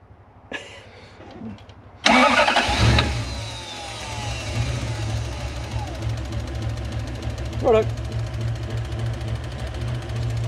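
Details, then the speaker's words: Toyota 1UZ-FE V8 swapped into a Hiace van cranks, catches, then idles lumpy as a cylinder drops out; has been misfiring and dropping cylinders, injector drive or wiring suspected, oil in petrol found; misfire. "we dropped the cylinder now that's what it's been doing it's been misfiring and dropping cylinders"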